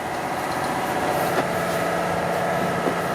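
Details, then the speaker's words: Vevor 5-ton (11,000 lb) shop air bag jack lifting a vehicle corner easily as the shop compressor kicks in; steady motor drone with an even pumping hum, no knocks or rattles, and the compressor runs normally. "oh that's lifting that easily the compressors just kicked in I'll turn the Taps off now"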